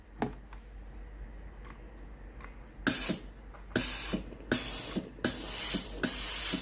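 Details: Philips GC9622/20 steam iron, boiler refilled for retest: sharp hissing steam bursts about a second long after a few quiet clicks; steam comes out, water pump confirmed faulty and steam switch suspected unreliable.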